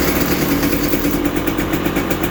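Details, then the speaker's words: 2020 KTM 300 XC TPI two-stroke at 279.2 hours, after repairing the broken wire, FI light off: steady even idle with smooth unbroken beat, no misfires; running normally. "okay I got it going I'll get her put together tomorrow have a good one guys peace"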